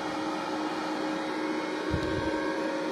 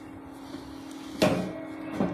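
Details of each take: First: Benz BZ 8914 MMA-120A IGBT welding machine, cooling fan on stock 24 V before modification: steady loud whirring hum with airy rush; owner plans a DC-DC converter to drop it to about 12–15 V. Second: Benz BZ 8914 MMA-120A IGBT welder cooling fan, modified with a DC-DC step-down converter feeding about 12 V instead of 24 V: low, steady, quiet hum, still good airflow; previously very loud.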